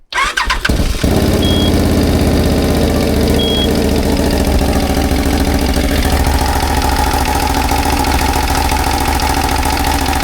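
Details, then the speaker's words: CFMOTO CForce 1000 ATV (2V91Y engine) after timing reset and valve adjustment within spec: catches into a fast lumpy idle with persistent knocking underneath; knock still present, cause unknown, cylinders to be checked with endoscope. "Всё равно стучит, блин."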